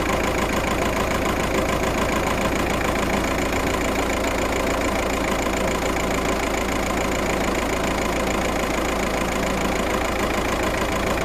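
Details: VW Passat petrol engine idles unevenly with a stumbling, off-beat pulse; fault code 000769/P0301, misfire detected on cylinder 1 at idle.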